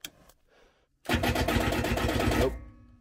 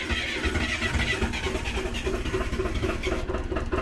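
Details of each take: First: 24-volt diesel generator after days of negative-Fahrenheit temperatures: labored cranking about four turns a second for under two seconds, stops without firing; suspected dead battery from cold, started with two 12 V jump packs. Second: Diesel 24-volt generator in freezing weather, started with two 12-volt jump packs after the battery died: it catches and settles into a steady, even clatter at constant speed with no misfire. It is running normally.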